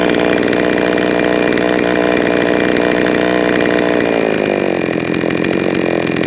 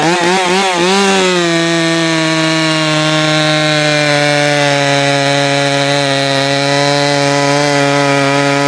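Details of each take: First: Jonsered 525 chainsaw screaming at full throttle, then stumbling and sagging as it comes off throttle; the hesitation shows the low-speed mixture is too lean, so the low-speed screw is turned richer. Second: Jonsered 525 chainsaw after richening the low-speed mixture and raising the idle: a brief wobble in revs settles into a steady, even high buzz with no misses or surging; running well now.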